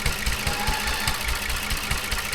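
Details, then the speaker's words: Toyota Avalon at idle, water in injectors and spark plugs: uneven, stumbling idle with irregular exhaust thumps; misfire that owner expects to smooth out once the water clears. "Naka-idle apac accelerator para yan palyado ang kalyado pag tubig sa injector saka sa spark pug titining yan."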